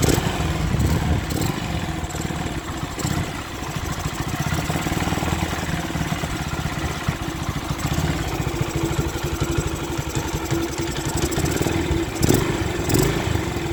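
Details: Honda Sonic 125 single chugs at a steady, even idle without stumbling after fuel line replaced and extra fuel filter added, following a no-start three days after repair with new spark plug and carburetor; part left off to check for fuel flooding.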